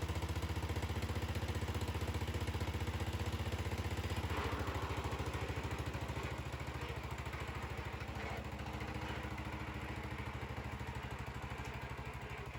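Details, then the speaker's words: 1975 Bolens G14 tractor after fixing a drive belt that was thrown at engine shutdown: even single-cylinder thump at steady idle, about a hundred beats a minute, no slapping or squealing belts; belts stay on after repeated tests, runs clean. "we've tested it numerous times now and the belts haven't come off"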